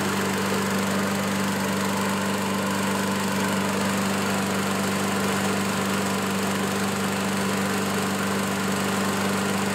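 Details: Curb-find Craftsman self-propelled lawn mower running well under mowing load, cutting small growth. Its small single-cylinder engine holds a smooth, even speed with no surging or misses. Normal running.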